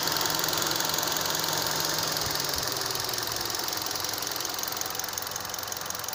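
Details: Warm idle on a fully warmed 2012 Hyundai Solaris 1.6 automatic at 130,000 km: a fast, light top-end ticking knock, about three per second. It appeared after an oil change. It is clear at idle, on lift-off and when coasting with oil and coolant at 80°C, and fades at coolant 90°C / oil 100°C. Owner suspects piston slap.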